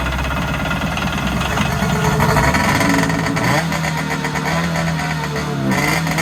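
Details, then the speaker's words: Kawasaki JS440 two-stroke jet ski after crank seal and bearing replacement: crisp buzzy engine revs up cleanly and settles into a steady strong beat with no misses; runs well and starts right up. "But it runs, so I'm gonna throw the gas tank back on, fill it up with gas, and see if it'll suck it up and prime it up, and we'll go from there. So guys, there you have it. Tank's in, everything's on, and this thing runs pretty good. Starts right up."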